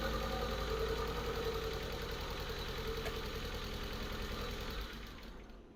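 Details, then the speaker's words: Manual-swapped Mk4 on first start, started by jumping the starter since ignition isn't powering it: fast even ticking about 210 a minute over the running engine, fading at shutoff; loud top end with plenty of oil, cause unclear; owner also suspects exhaust leak. "but I will say the top end was very loud very loud"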